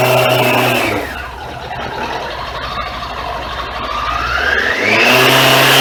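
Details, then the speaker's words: Suzuki Katana motorcycle with Ballistic battery, parked all winter without charging, first start in March after a cold Toronto winter: revs up, drops to a smooth lower note, climbs again; clean, normal running after cold start. "the third winter for the ballistics battery is that all winter long no charge no triple charge and um the bike started up"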